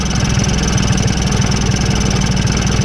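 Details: 1986 Honda Spree two-stroke with a 48mm big bore kit and a newly tuned carburetor: steady, fast, even idle putter with no misses or hunting.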